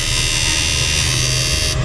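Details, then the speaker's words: Repaired 68000W first-model inverter after capacitor replacement, 12 V input with test bulb: steady even buzz with fine constant high whine; sound now good and straight, inverter running smoothly. "Bali, maganda na tunog niya, straight na."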